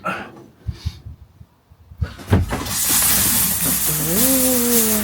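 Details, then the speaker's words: 2010 Bailey Pegasus 462 caravan shower after cracked wall repair: handling knocks, then steady rush of water with pump hum rising and holding even; shower working normally. "it's working. There you go."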